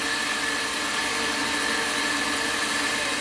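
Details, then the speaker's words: PowerPro upgrade machine after correcting belt alignment and tension, run at high speed: steady even motor hum with faint high whine and no knocking; belt drive runs balanced and quiet. "I don't hear any knocking"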